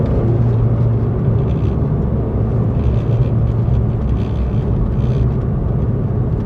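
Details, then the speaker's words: Mk1 Audi TT test drive at slow speed over broken tarmac; steady low road rumble, no knocks or clonks from suspension, anti-roll bar bushes or links. Only the dashboard rattles a little. "This dashboard's rattling as well, but we can forgive that. So yeah, no rattles, no stress."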